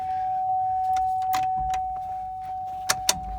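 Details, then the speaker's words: 2003 Chevy Trailblazer LT that sat about two years, after a battery change. At key-on a steady mid-pitched hum with a couple of clicks holds for a few seconds before it starts on its own: normal fuel pump priming. "i hear a fuel pump there she is starts on her own"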